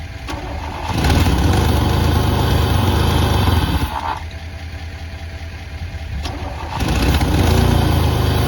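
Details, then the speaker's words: 1988 Pontiac Firebird, 2.8L GM V6, 230,000 miles, unstarted for about 13 years with old fuel in the tank: brief cranking, then it catches, runs rough and loud, dips and picks back up. The engine turned over despite initial resistance. "all right guys well i'm really impressed you know i really wasn't expecting much i thought i was gonna have to put a breaker bar on the crank and that that probably wouldn't even work i didn't expect to be able to turn the engine over"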